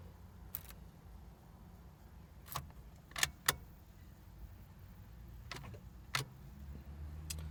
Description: The battery is very weak, and so the engine just clicks when you turn the key, sometimes it clicks for a few seconds, othertimes, it just clicks 1 time.